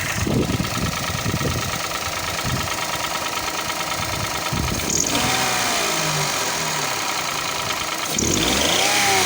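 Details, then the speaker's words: Toyota Passo/Daihatsu Boon 1KR-FE petrol engine at idle: steady knock about three per second, seemingly near cylinder 1, present about two months; valve cover and sump checked, no metal shavings found, cause unknown. "вот появился непонятный стук уже примерно месяца два я с ним есть вот визуально где-то идет первого цилиндра"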